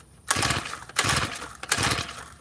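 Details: Tiller on choke after a carburetor screw was turned back in a quarter turn: three quick pull-start cranks with rough chuffing that never run. A no-start, though getting better; more throttle later helped.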